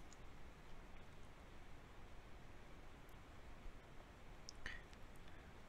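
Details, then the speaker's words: Loos & Co. LOCOLOC #3-H hydraulic swaging tool compressing a 5/16 copper oval sleeve: near-silent pumping, then one sharp click after about 25–30 pumps; first-stage bypass, working as intended. "begin to make your first compression pumping the handle approximately 25 to 30 times until a clicking sound is heard"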